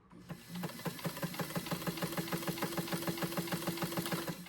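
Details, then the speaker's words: White 1563 sewing machine partway through cleaning and oiling; quick even ticking about three per second with steady whir, knocking much reduced; normal running. "But, uh, it's already sounding a lot better from a knocking noise, but I'm going to put her up."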